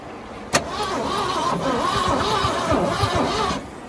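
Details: 1979 Ford engine, badly overheated with oil apparently burned off, water hissing on a very hot oil pan and a slipping belt: rapid, steady cranking of about four beats per second for three seconds that never catches. Crank, no start.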